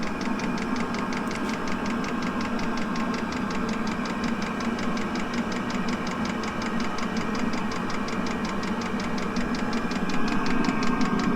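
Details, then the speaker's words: 5 kW diesel air heater in a fire truck camper, starting up from cold at full output: steady fast ticking pulse over an even roaring fan, running normally; noise quietens once the interior warms up. "that's what it's like when the heat is running flat out it's quite uh quite a noise but it soon quietens down once it warms up inside"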